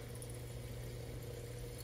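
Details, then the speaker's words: Crown Aruba AWR070B hydronic boiler after control board replacement: on a call for heat the circulator starts, damper opens, spark and gas valve ignite; a steady even hum with no rattles or knocks; normal start-up. "we should get Spark gas valve is opening and we have ignition so we got it running again so it looks like the board was the problem"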